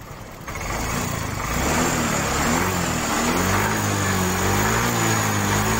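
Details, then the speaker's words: Yamaha Mio 125 scooter after valve clearance adjustment for a valve ticking "sewing machine" noise: engine settles into a steady, even, smooth idle with no ticking or clatter; normal idle after repair. "Oke, ini mesinnya sudah halus dan tinggal dibawa sama yang punya bro."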